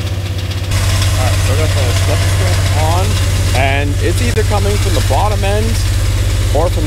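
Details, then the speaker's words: Dodge Dakota 5.9 L 360 Magnum V8, idle raised with feeler gauge behind idle screw; steady rapping knock about four times a second deep in the block, heard most at block and transmission housing; rod knock. "all right so I actually got it making the noise pretty good here so let's see if I can show you guys"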